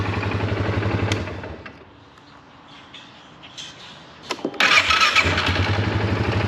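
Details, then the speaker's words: Polaris ATV after repair with fresh coolant fires promptly, starter sounds good with no grinding, and settles into an even, steady idle with no stumbling; healthy start. "nothing leaking but you can hear the starter sounds really good no grinding fires up first try looks good sounds really good"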